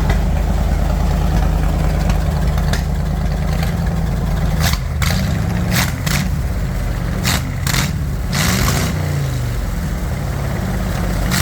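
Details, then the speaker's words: Bombardier wide-gauge snow machine with about 300 hours of rebuild work, idling after throttle screw adjustment with air breather off: deep, steady even rumble with a few light clicks; sounds pretty good, normal idle. "so again dad's uh got it all fired up sounds pretty good so far with the big Bay D big bay doors open so we don't get gassed out here like we did the other day"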